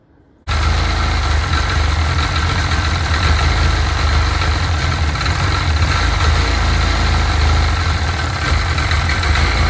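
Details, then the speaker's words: Sea-Doo 951 DI during custom rebuild troubleshooting, idling with low but steady air pressure (should be 80 psi); steady low drone with slightly uneven beat, a little rough; owner suspects the air pressure regulator, leaks likely fixed earlier. "now it'll the pressure will go up when i rev it but um still runs a little bit rough and so at this point maybe i have it isolated down to the uh the air pressure regulator"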